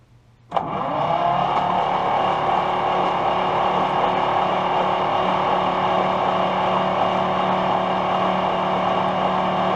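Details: 1951 Brockway truck engine, previously seized and freed after pickling, cranked on starter: even steady whirr with no firing; turns freely, old damaged cloth wiring.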